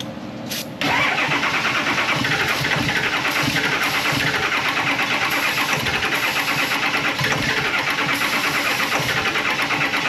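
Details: Early-2000s Ford F250, 7.3 L Power Stroke diesel, about 400,000 miles, heavy ether dose in the air cleaner: a click, then a long steady starter whirr with even compression beats that never catches; crank-no-start.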